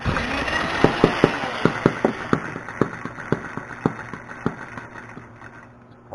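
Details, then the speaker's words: Small hobby model engine run on an experimental pulse generator ignition with points; slow uneven pops fading and stumbling toward stall, laboring; owner suspects timing a little too early or late, possibly too much gas. "Sounds like it's laboring. Might be a little too early or a little too late."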